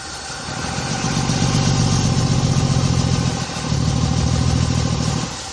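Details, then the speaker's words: 1972 Chevy C10 with an old rotten muffler full of holes: two rev-ups swell but sound choked, muffled, low and heavy, with little heat coming from the tailpipe. The muffler was cut loose and found crammed full of acorns, with more debris up in the pipe. "Probably. It does act kind of like though it's something's plugged up, don't it? All right, so we just cut the muffler loose and it's crammed full of acorns and stuff. I'm hoping that's why it's running so bad."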